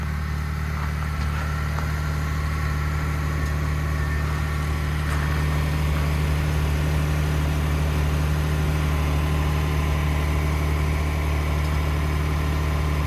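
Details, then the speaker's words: 2021 Ford F150 PowerBoost hybrid, remote cold start at -16°C (noise only below about -11°C): steady low droning hum with rough churning undertone, no clear knock; cavitating or grinding of unknown cause, possibly something pumping, unresolved by dealer. "So the noise is still there. Something clicked, but I don't know when it starts. When it starts pumping something, but who knows? It's really loud."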